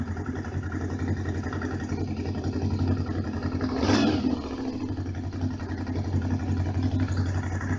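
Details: Honda VFR 750 RC24 V4, cold after sitting overnight, on manual choke: even raised idle with steady beat and one brief rev blip; runs very correctly.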